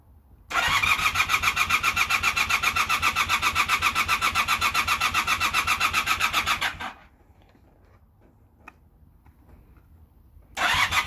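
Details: Honda Super Dream motorcycle: starter churns steadily at about four beats a second for six seconds without catching, pauses, then cranks again; engine turns but won't start.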